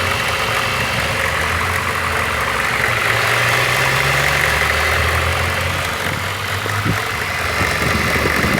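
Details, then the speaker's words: VAZ 2114 1.5 8-valve, cold start: rough cold idle with a fast, light crackling tick from the cylinder head area that disappears once the engine warms up; cause unknown. "а именно на холодном двигателе когда двигатель прогреется этот посторонний звук пропадает"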